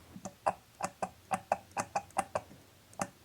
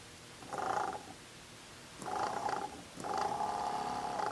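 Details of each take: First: BMW E34 heater valve solenoids, bench-tested with a 9 V battery instead of 12 V: quick run of crisp, croaky frog-like clicks. The solenoids are working normally. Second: BMW E34 heater secondary water pump bench-tested on a battery after valve solenoids checked: three short runs of a rough rattly buzz at fixed pitch; sounds like something jammed inside though it spins, cause unconfirmed.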